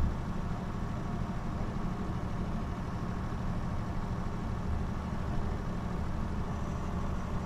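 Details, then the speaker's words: 1926 Oakland sedan, 6-volt system, driving at steady speed: even engine drone under road noise, no knocks or misses; normal healthy running. "just sounds good at that speed you know shaking the engine isn't flattering a lot"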